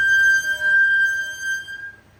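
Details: 2024 Toyota Tundra, bulletin T-SB-0043-24, repair parts still pending: clear, steady high-pitched squeal at one pitch fading as the truck stops; brake squeal.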